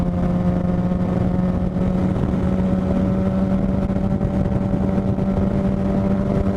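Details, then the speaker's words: 2007 Suzuki GSX-R 750 on the move, uneven lumpy note like three cylinders with steady high whine; owner suspects electrical fault in stator or regulator/rectifier, battery fell 13 to 9 volts, bike later died; misfire and whine. "it even feels like we're running on like three cylinders and there's this weird whining noise that I've been hearing something's up clearly"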